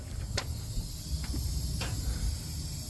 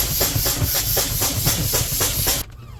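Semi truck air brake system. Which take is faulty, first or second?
first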